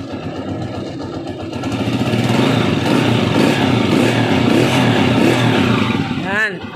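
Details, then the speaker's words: Small engine after valve clearance adjusted on both sides, following complaints of misfiring, stalling and hard starting; steady even putter of about four beats a second that settles after a slight rise, no top-end ticking, normal running. "Hindi naman ganyan ung andar niya eh okay siya andar naandar"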